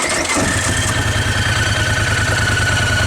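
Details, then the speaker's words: 2018 Polaris Sportsman XP1000 ATV idling with the parking brake on and unable to shift, with a loose rhythmic belt rattle about twice a second. The clutch one-way bearing seized at about 18 hours. "so you can hear the belt rattle on the background paring brake is on can't shift it for nothing"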